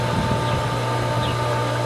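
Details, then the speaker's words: Pool pump on its first run of the 2022 season: a steady low drone with a constant motor tone and an even rush of water. It is now primed, with water flowing in and out, and running normally. "we got water in we got water out in and out is all you need as long as you have some flow you're not going to burn your pump out"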